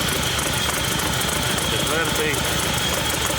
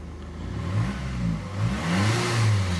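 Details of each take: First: Hyundai Santa Fe diesel, smoking, at idle: rough lumpy stumbling idle, third cylinder not working; only an EGR code logged, runs normally at 2000 rpm, oil leaking behind the engine; dead-cylinder misfire. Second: Hyundai Santa Fe diesel after repair of cylinder 3 misfire and smoke: revs rise and fall smoothly a couple of times, pitch climbing evenly with no misses or shake; turbo still to go to turbo service.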